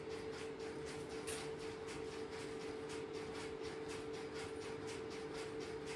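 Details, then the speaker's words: Stromberg-Carlson X-Y telephone switching equipment in an idle central office, call placed into it. Steady light ticking about twice a second over a constant hum as the interrupter starts and runs; normal interrupter operation. "Hey, I've relocated the camera to the Stromberg Carlson XY equipment and I will place a call into it and you will Hear the interruptor start and run."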